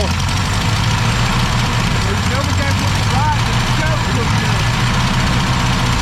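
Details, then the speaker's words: 1965 Ford Galaxie 500, started with choke partly closed: low, uneven idle that stumbles and wavers under steady chugging; not enough gas getting through, carburetor (missing parts) needs rebuilding. "There's a lot more needs than that. You ain't getting enough gas cycling through there. Carburetor needs to be rebuilt."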